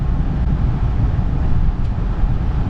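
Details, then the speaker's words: Honda with replaced mass airflow sensor, no codes, in gear at about 700 rpm idle: feathering the throttle makes the deep drone sag and rpm drop off, nearly stalling; it can get bad enough to stall, cause not yet found. "the tach drop off? It'll actually get bad enough where it'll stall."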